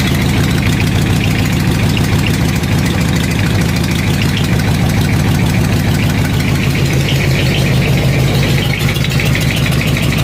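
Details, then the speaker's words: Craftsman riding mower with newly welded dual exhaust and homemade baffles, idling: sharp, uneven puffing tick on the exhaust beat from slight exhaust leaks still to be found. "so I got some slight exhaust leaks I can hear I'll have to figure those out as I go"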